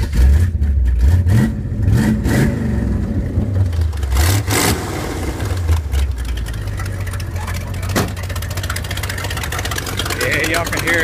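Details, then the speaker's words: SBC-powered 1970 Torino on stock exhaust manifolds, several leaks where the three-bolt pipe joins the manifold: rough, uneven V8 idle with revving blips and a puffing chuff at the manifold joint; exhaust manifold leak. "so I got a bunch of exhaust leaks up there where the manifold comes down into you know has 3 bolts bolting the pipe on to the manifold and you know huh it looks pretty bad so that's very weather it sounds like junk right now"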